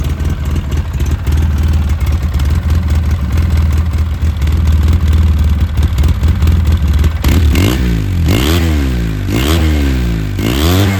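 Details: 2009 Polaris RZR 800, parked about 5 years, which earlier stalled whenever throttle was given: fires up, holds steady fast idle, revs cleanly several times and drops back, running smoothly throughout.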